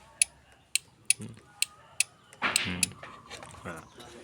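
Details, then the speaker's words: Honda Beat scooter electric starter, battery tested good at about 13 V: pressing the starter button gives sharp dry clicks roughly twice a second with no cranking, intermittently; fault attributed to the starter motor (dinamo). "Mayoritas ini kalau dinamo yang bermasalah di sini biasanya ada suara cetik-cetik ya."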